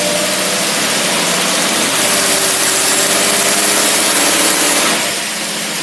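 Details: Autolite carburetor tested on a running truck engine: held at high revs with a loud steady roar, then settling smoothly without stumbling. Throttle response sounds good, with minor adjustments planned.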